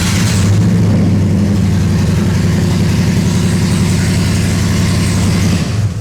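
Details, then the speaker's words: Gen 3 Hemi in a 1966 Dodge Coronet restomod: catches at once, settles into loud, deep, even open-header burble at steady revs; normal start and run. "I accidentally twisted the key too far into the crank position, and to my surprise, this thing fired up. First go,"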